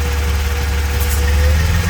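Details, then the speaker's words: 3.8 L Hyundai Genesis Coupe (BK2) running after a catch can install, with a vacuum port cap pulled off: low uneven idle that wavers and sags as the open port sucks in air, a deliberate vacuum leak. "hear the idle how it's vlogging sucks it right in eh yeah that's how you know what's working"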